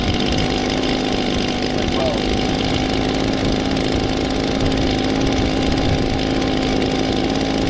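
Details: 2016 Echo PB-265 blower with a 25.4cc two-stroke engine, started for the 2020 season: a smooth, even high-pitched drone with no surging, misses or rattles. Normal running; it ran good.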